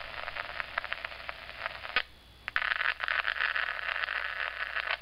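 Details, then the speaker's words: SpikerBox neural amplifier recording with an iPhone nearby: rapid pulsing digital buzz in bursts when text messages arrive, 3G network signal interfering with the amplifier; fixed by airplane mode. Mobile phone RF interference buzz. "when you receive text messages the 3G network that you're receiving those calls on and messages is interfering with the amplifier of the Spiker"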